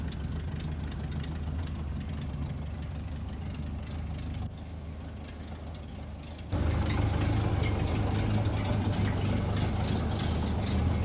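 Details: 1930 Ford Model A Tudor four-cylinder, barn find stored 40+ years, after head gasket, wiring harness and oil pan cleaning; slow, low thump at idle dips briefly then picks up to a firmer, louder run, running well.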